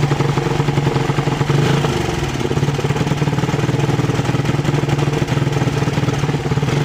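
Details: Suzuki Satria FU 150cc stumbling when throttle opened, carburettor fine: idle breaks up with ragged uneven beat and stumbles on throttle, a misfire traced to a loose ignition coil cable socket, then tightened.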